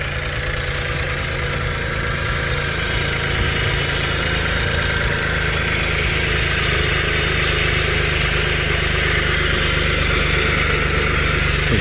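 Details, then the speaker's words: Stage 3 Audi Allroad petrol engine at first start after work: uneven wavering idle with steady airy hiss from a vacuum leak, an unconnected intake/vacuum hose, idle improving. "this is how this car ran when I first hooked it up and you can hear that it's getting better and better so I think it's good but it's just vacuum leaked that I had everything hooked up"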